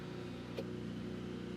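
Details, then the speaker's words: Buzzing rattle from the hidden Bosch interior-temperature-sensor fan behind the dashboard of a 1987 Porsche 911 Carrera Cabriolet, running whenever ignition is on; steady hum with fine rattle, stops when impeller is held; after ~40 years the impeller is dirty, sensor dusty, motor beginning to rattle. "If I put my hand on the impeller, the sound stops. Off, on. So that is it. We need to find a way to get this motor out and maintain it, because you can hear it sounds real sick right now."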